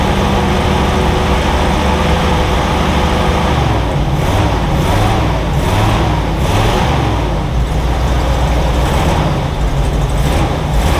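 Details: Jeep CJ-7 fed fuel into the carburetor in cold wind. Rough, loping idle with dropouts about every second and one cylinder dead from an unplugged plug wire. Misfire.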